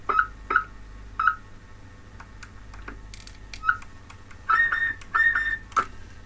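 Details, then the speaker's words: Uniden AX144 CB radio on transmit into a dummy load: short, high whistling squeal chirps come and go over a faint steady tone; radio transmits but slightly off frequency, possibly needs recapping. "That's that like squeal. Guess what? That's interesting. Might need recapping as well."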